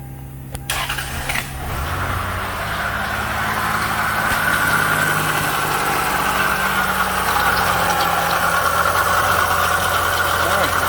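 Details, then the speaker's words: 2000 Lexus ES300 3.0 interference engine, towed in dead, no compression while cranking, first start after reinstalling the timing belt: cranks, catches, settles into a steady even idle with light water pump whirring; motor sounds healthy, water pump noisy. "Water pump making noise, but that motor sounds good. I think we lucked out."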